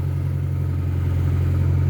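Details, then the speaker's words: Mk1 Ford Escort with a carburettor, not run for six to seven months, just started: a low engine drone that swells over about two seconds and never settles into a clean, even idle; rough idle. "I was going to say it's going to idle as well but we can't get that lucky having a bit of a Wilt now"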